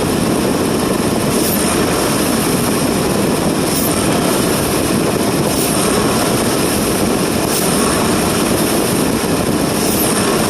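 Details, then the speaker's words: 2020 Ford F-150 5.0L after replacing bank 2 exhaust VCT solenoid: repeated snap throttles rise and fall cleanly with no rattle on deceleration; solenoid rattle gone, engine healthy, no leaks or check engine lights. "well just all regular noise now no more like before so we're good that fixed it"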